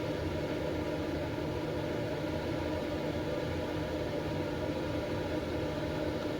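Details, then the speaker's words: Late-1980s/early-1990s Lakewood space heater: steady soft airy whoosh with even low hum, quiet vibration, no rattle or scrape; fan running normally, slight burnt-dust smell. "It's quiet vibration. Got a little bit of burnt dust smell. The air is coming out pretty decent. Nothing to write home about, but yeah."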